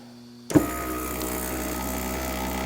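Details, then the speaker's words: Power window motor from a 1991 Chevrolet S-10, 22 years old, bench-run: short thump then smooth steady whir with even tone; this motor works perfectly fine. "there's nothing wrong with this motor this motor works perfectly fine"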